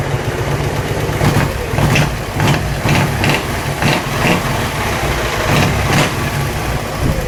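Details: Dnepr-11 boxer twin motorcycle at idle: sharp metallic knocks about twice a second over the beat; internal knock whose source was not found even after opening the engine.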